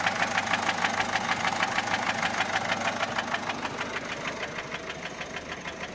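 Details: Peugeot 407 1.6 HDi 90 diesel at idle: sharp steady top-end ticking, about three a second. Noise began after a road drive, with slight white smoke from the rear. Mechanic suspects tappets (poussoirs) or camshaft, unconfirmed.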